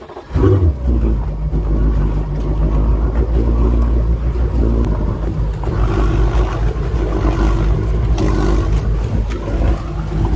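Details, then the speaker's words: Tiara 43 boat with three Yamaha outboards, after replacing the centre engine's bad battery: deep, steady rumble of all three idling together, no misses or knocking; normal idle, good voltage on all. "all right so all three are running looks like we have uh good voltage across the board here"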